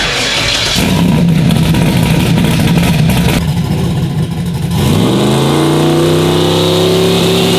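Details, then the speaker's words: Turbo Nova on fresh spark plugs, started and loaded on the brake: chops and stumbles about four seconds, then clears into a smooth rising rev; low fuel pressure safety pulling timing, believed cause. "I think it was just the safety because you could hear it when I and then I could when I was watching the RPM and the fuel pressure at the same time that's what it was doing it was hitting that safety taking more timi"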